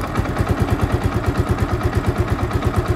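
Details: Yamaha Vixion that would not idle and kept stalling, after cleaning the switch contacts: slow, steady single-cylinder thumping, about three pulses a second, barely holding on as the idle adjustment is turned down.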